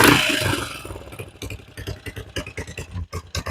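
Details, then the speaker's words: 1980 Yamaha XT500 single, first run after winter storage and long disuse, still a bit cold: big-single thumping with slightly uneven beats as it's blipped, no knocks or rattles; normal running, cold engine. "Yeah, it's running. Sounds good. Still a bit cold."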